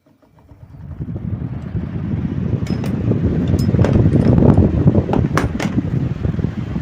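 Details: Table fan after shaft repair, problem solved: the whirr rises smoothly as it spins up, then holds steady with no grinding or wobble apart from a few light clinks.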